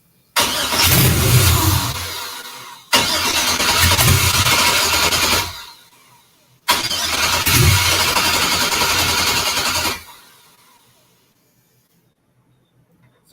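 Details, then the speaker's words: 1963 Pontiac Grand Prix with swapped GM LS engine, first start, no throttle pedal fitted: three cranks of about three seconds each catch with a rough roar then die, never idling; owner suspects fuel cut from security or crankshaft position sensor. "enough to make it fire but it won't run and the only thing that can be is it's shutting off the fuel and the only reason it would shut off fuel is security or crankshaft position sensor"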